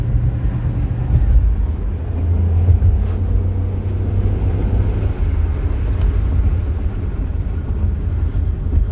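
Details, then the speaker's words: 2006 Chevrolet Impala SS, test drive after replacing the bad wheel hub assembly that caused wheel grinding noise; smooth, even road rumble with no grinding or growl rising with speed, noise gone, hub healthy. "mice is completely gone"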